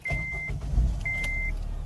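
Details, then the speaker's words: 2007 Acura RDX turbo after knock sensor replacement, hot day: smooth, steady engine hum under loud radiator fan noise, a couple of beeps and a light knock; engine sounds good and healthy. "That's a good sounding engine right there. Besides my loud radiator fans going off, it's a super hot day."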